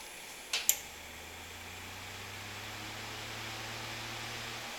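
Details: Fan powered from an APC Smart UPS 1500 converted to an inverter: after it is plugged back in from modified sine wave output, a click, then the low hum climbs steadily in pitch as the fan spins back up to full speed.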